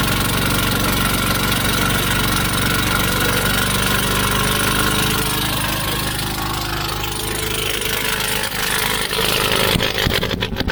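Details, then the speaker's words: Husqvarna YTH24V48 twin-cylinder riding mower, no-start, running choked: rough, uneven chuffing because it fires on only one cylinder, as one spark plug is missing from its hole; owner suspects the cracked fuel pump vacuum line. "It's a twin cylinder, and one of the spark plugs is not in the hole. So that is a problem."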